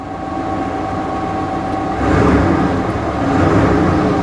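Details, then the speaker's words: Salvage-auction C4 Corvette believed sabotaged, started on the key: a steady, even idle with a low hum and no knocks or misses. Runs well; normal idle. "yeah looks like you can oh wow she runs good very loose steering no surprise there"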